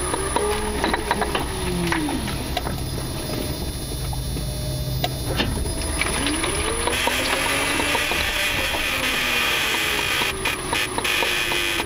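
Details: 2018 Nissan Leaf, mic taped to front subframe member under bonnet while driving: irregular sharp knocks over road rumble and rising/falling motor whine; front end knocking, cause unconfirmed.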